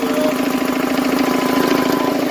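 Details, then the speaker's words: Engine knocking at startup: fast, steady hard rapping over idle, like no oil pressure; owner says it quits knocking once air pressure builds up, cause unconfirmed. "Once the air pressure builds up, it'll quit knocking. Kind of like something with no oil pressure."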